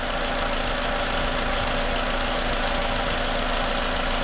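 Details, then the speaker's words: 2010 Toyota Camry at idle after replacing the noisy alternator; smooth even low hum with no knocks, ticks or whine — normal idle. "all right so here we go no noises everything's nice and quiet I would say that's a win"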